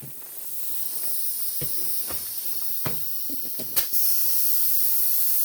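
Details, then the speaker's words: Lawn mower tire, previously patched, bead broken: steady thin hiss of escaping air with a few clicks and taps; leaking in two places, sealing failed, needs a tube. "But this tire might not be any good. I hear it leaking. Right here."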